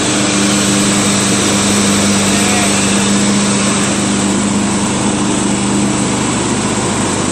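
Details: Craftsman LT1000 lawn tractor after greasing the spindles, sharpening the blades and fitting a new belt and deck: engine pulls steadily with the deck engaged, constant drone and blade hum, no squeal, slap or grinding; healthy mower deck operation.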